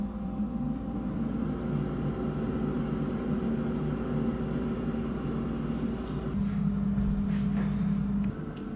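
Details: Salter EK5872 (LIDL EK5872LDL) dual-compartment air fryer, suspected thermal fuse failure that stopped one side heating: steady low fan hum and whir, no rattle or scrape, short level tone near end; normal operation.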